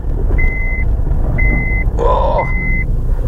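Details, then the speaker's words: Honda CR-V left unmoved for about seven months, rolling slowly with reversing beeps; brief harsh scraping squeal on braking with a spongy pedal, suspected corroded, sticking pads, calipers and sliders; cause not confirmed. "that much corrosion on the brakes pads are probably all sticking together as well and the calipers and Sliders everyone's just banging around"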